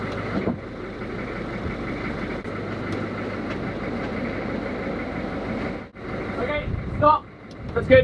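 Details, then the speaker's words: Boat's engine started after 117 days in the boat yard with much electrical and underwater work, left idling in gusting wind to check water flows from the exhaust: it settles into a steady, even idle with no knocks, misses or hunting, and water is coming out. "So for now, we're just gonna turn it on and leave it just idling. Make sure water's coming out the exhaust."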